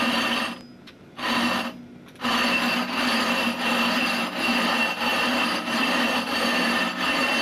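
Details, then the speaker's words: Rough grinding of a 20-inch glass telescope mirror: rhythmic gritty strokes about once a second, sound softening from a harsh grind to a dull murmur as the abrasive wears to a finer grain and stops cutting the glass. "as I proceed you're going to hear the sound softened very quickly so you don't hear that harsh grinding sound it disappears into a soft sort of murmur at that point the abrasive is really not much use anymore because it's worn down into a much smaller grain size and so it doesn't cut the glass effectively"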